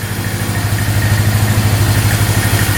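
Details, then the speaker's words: 2002 Polaris Magnum 325 4x4 ATV, bought as a non-runner needing a carb clean, first start without choke. It idles with a steady, even low single-cylinder thump, no knocks or misses, no carb leaks and a beeping battery; engine sounds really good. "Sounds pretty good. Not bad. That's without the choke on. Get the beeping battery, which is annoying, but engine sounds really good. No knocking."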